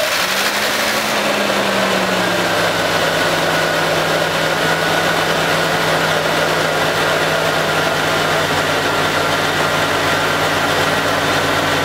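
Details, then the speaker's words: Jeep 4.0 after oil pump primed with petroleum jelly to cure low oil pressure: steady even idle, smooth hum, previous loud rattle gone, about 60 psi oil pressure; engine healthy. "good oh that's much better and we've got oil pressure wow that sounds much better"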